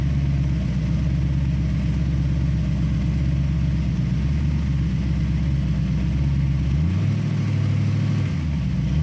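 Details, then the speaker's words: 1966 Ford Bronco 302 V8 with Lunati Voodoo flat-tappet cam, faulty lifter replaced, headers and Cherry Bomb mufflers, no transmission: deep lumpy idle and quick free revs, lifter tick gone. "i hope that sounds as good to you guys as it does to me because uh as you all know we have chased a few gremlins on this engine and but it really sounds good"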